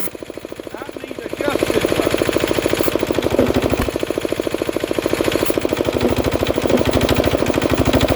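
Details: Diesel air compressor during a start and pressure test: fast steady chugging with a hiss rising over it as pressure builds; the safety valve vents before the unloader cuts in.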